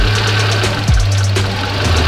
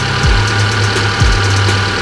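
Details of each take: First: Fuel-injected car with ISC idle control (tagged Hyundai), warm engine, ISC deliberately set too low: idle rises and falls about once a second and never settles; idle hunting from idle speed set too low. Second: Fuel-injected car with ISC idle control (tagged Hyundai), coolant nearing 60°C while warming up: steady, even petrol idle hum with a settling low note, speed dropping toward normal as it heats; normal warm idle.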